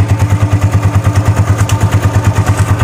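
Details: Vperman 150 motorcycle at idle, recorded near the cylinder head after a tune-up and valve clearance adjustment reduced the noise; a light, even tick about three times a second rides over the thump, caused by a loose, flapping air valve.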